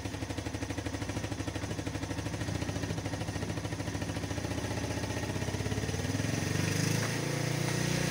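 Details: 1997 Yamaha SR 125 single idling after its first start following winter storage: even putter of about three to four beats a second, steady and clean; normal idle.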